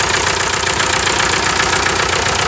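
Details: 1998 VW TDI diesel, ~500,000 miles, run on 80% waste vegetable oil; rough idle under loud steady hiss of escaping gases. Stuck piston ring blowing compression into the crankcase, risking cylinder wall damage; rings to be replaced.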